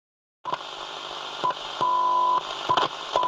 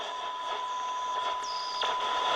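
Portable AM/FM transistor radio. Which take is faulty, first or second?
first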